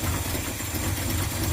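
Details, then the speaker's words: 1976 Ford F-150 Ranger that sat a year after running poorly and chugging on hills; ignition timing checked dead on within 6–10 degrees. A low, lumpy, loping idle that sounds close to stalling. "that says it's dead on the man it sounds like he's about to die now"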